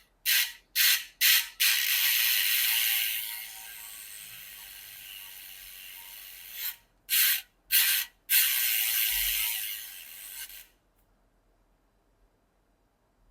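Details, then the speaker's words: Bicycle Hyper 2020 wheel after upgrade to NTN hub bearings: spin test with fast light freehub ratchet clicking while coasting, no grinding or rumble; bearings healthy. "I can't feel anything at all coming from the bearings I can't hear anything if I close my eyes I don't know this wheel is spinning so that's a good sign"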